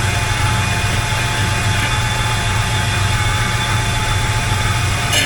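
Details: 1985 Chevy K20 V8 with a newly fitted Edelbrock 1906 AVS II carburetor, only idle mixture screws adjusted: starts instantly without long cranking and settles into a steady, even low rumble with no misses or knocks; healthy idle.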